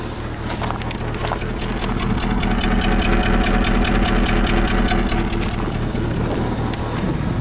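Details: 2008 Subaru Legacy 2.5 SOHC, junkyard replacement engine, car at 164,000 miles: uneven idle with rhythmic stumble about twice a second and light tick; cylinder 4 misfire from compression loss, new injector, coil, plug changed nothing.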